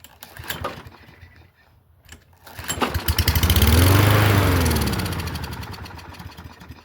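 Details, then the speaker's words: Kohler engine on a 22" Toro Recycler mower bought used, cord too short to pull fully: catches, revs a couple of seconds, sags and dies. Runs briefly then dies. "okay well it sounded okay for a second it needs another pull cord so you can't pull it far enough to do anything"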